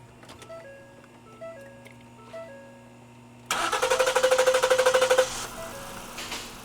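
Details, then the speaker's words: Ford Explorer 3.5 L crank-no-start with suspected fouled rear spark plugs: fast even cranking in clear-flood mode at wide-open throttle for about two seconds, then catches and drops to a quiet idle; flooded engine cleared. "he's still going to do the clear flood uh because I guarantee those fire plugs in the back are still not good"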